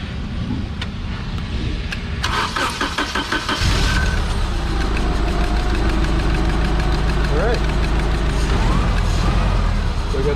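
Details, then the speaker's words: Yale GLP060VX forklift, PSI 2.4L CNG engine, after swapping coils between cylinders: cranks, catches, then idles with uneven stumbling beat and dropped pulses; misfire moved to cylinder one with the coil, ignition coil faulty. "oh bang now we're dropping on number one and nothing on number two so that tells us that this coil is bad because it the misfire jumped when we changed those coils"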